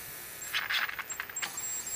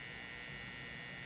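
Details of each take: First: Mid-1950s Canadian GE 17-inch black-and-white TV: sharp snapping crackles over a faint whistle. After tying all the grounds to a common chassis point, the missing oscillation is fixed and high voltage returns strong at about 14 kV, which is healthy. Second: Mid-1950s Canadian GE 17-inch black-and-white TV during first power-up testing with a silicon rectifier: only a steady low buzz and hiss from the speaker, no proper sound. The audio amplifier works and the vertical oscillator is audible; other faults are not yet traced.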